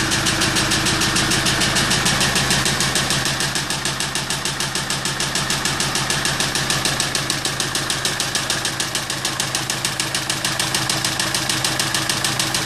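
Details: Kia Sorento at steady idle with a sharp, even knock of about three beats per second over the engine; the cause is not yet pinned down.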